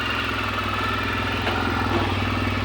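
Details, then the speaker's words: Suzuki Burgman 650, first start after an engine replacement: a smooth, constant idle hum with no knocks, misses or rev swings, running evenly. "Запустил двигатель Suzuki Бурман. Я двигатель здесь переставлял."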